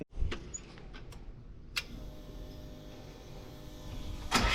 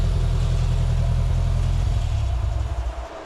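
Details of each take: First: Volkswagen ABA engine in a buggy, first start after the rebuilt cylinder head was reinstalled and tightened: it cranks a few seconds, then settles into a loud, slightly uneven low idle. It runs rough and needs tuning. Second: Volkswagen ABA engine in a buggy after the rebuilt cylinder head was reinstalled and further tuning done. Warm enough for the fans to run; strong steady low rumble that eases back smoothly to a settled idle, running healthy.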